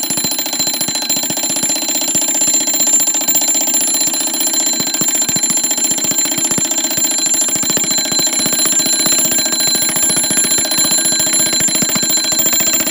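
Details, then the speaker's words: Seth Thomas automatic 8-day long alarm clock, model 89 movement, alarm going off before being silenced by the lever: rapid continuous bell ringing at a steady unbroken rate; normal alarm bell ringing. "silenced there you go automatic 8 day long alarm now i've silenced it just by moving the lever to the right and then releasing it"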